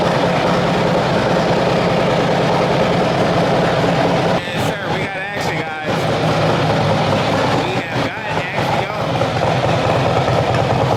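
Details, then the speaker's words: Cammed Harley-Davidson V-twin bought from Copart, first start: deep lumpy burble with a steady loping beat and throaty exhaust, running evenly; normal running, throaty exhaust. "You hear the vroom vroom on that thing. You hear the vroom vroom on that thing, man."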